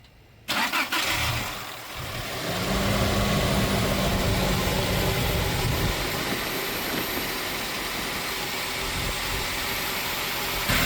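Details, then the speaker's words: Toyota Tacoma (2005-2023 generation) start-up after replacing a worn, shaking serpentine belt tensioner mounted under the alternator: engine catches quickly and settles into a smooth, even idle with no squeal, chirp or rattle; noise gone, shaking much reduced. "The noise is gone, so that was the issue, nice and smooth. And it's not shaking that bad like it used to."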